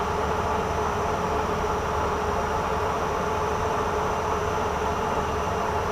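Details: Cincinnati 205 milling machine with a 40 rpm spindle speed displayed, power feed on a light first cut: a steady, even mechanical hum with no knocks or hesitation, after feeds that had earlier been hesitating were fixed. Normal power feed.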